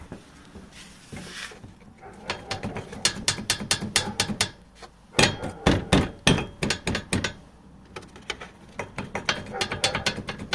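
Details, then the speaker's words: 2012 Toyota Prado 150 over small bumps: bursts of sharp metallic clatter; front bumper and fog-light riveted mounting bracket worked loose, on both sides. "prado 150 двенадцатый год берите на заметку штук по кочкам крепление на клепках разболталась с этой стороны также"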